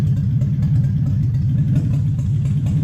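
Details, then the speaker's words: V8 on the Spitronics ECU during setup. Low, rough, stumbling slow idle, down on one cylinder but still holding idle; the owner feels the idle speed is too low and raises it. "a lung, down on 1 cylinder, still sits and idles."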